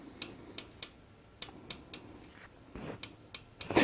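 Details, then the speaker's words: Suzuki DR200S farm bike, engine off, valve clearance check: sharp, light metallic clicks as the exhaust rocker is rocked by hand, a distinct rattle well beyond the intake, meaning excess exhaust valve clearance before adjustment. "there's a distinct rattle in it that's definitely it it's definitely distinctly a lot more than the intake"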